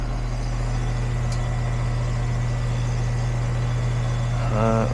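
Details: Goodman AC condenser after repair (capacitor tested good, connection retightened with a new spade connector), reading 77 vs 67, 10 over: steady low hum, constant tone from compressor and fan, no rattles or buzzing; running normally.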